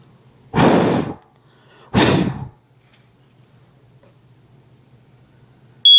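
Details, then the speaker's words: Cheap Walmart ionization smoke alarm tested with match smoke beside a photoelectric unit: quiet after two loud breaths, then a sharp high-pitched alarm tone at the end as the ionization alarm trips. "that was the ionization attacker right there"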